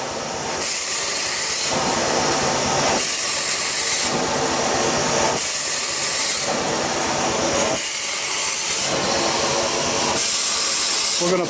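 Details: 1895 Bates Corliss steam engine (14" bore x 36" stroke) running after 80+ years idle; loud hissing rising and falling with each stroke over the beat, steam leaking at several points; owner suspects a broken pipe inside the steam chest.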